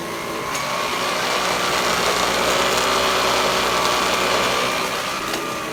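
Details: Vintage Electrolux vacuum power nozzle, before the brush roll is replaced: loud steady high whir with a rough fluttering edge from the spinning head, pointing to a worn, noisy brush roll.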